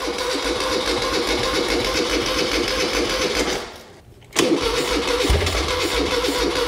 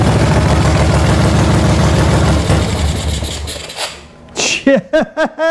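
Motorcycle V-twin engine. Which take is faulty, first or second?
first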